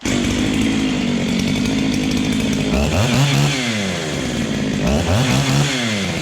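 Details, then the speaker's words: Ported 385XP chainsaw with an aftermarket 390 piston and cylinder, started again after the rebuild: a strong, crisp two-stroke snarl with quick, clean throttle blips. It has more compression than the owner is used to and runs healthy. "let's fire it up one more time holy she's got more compression than I'm used to there boys"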